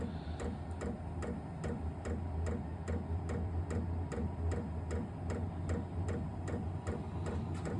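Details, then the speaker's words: New Vevor 12V 8k diesel heater in a 600 sq ft shop at startup, still blowing cold air: crisp ticks about twice a second over a low fan hum as the pump cycles fuel into the heater. Normal fuel pump ticking. "all right don't know if you can hear that that's the pump cycling in it's going to dump fuel into the the heater portion of the"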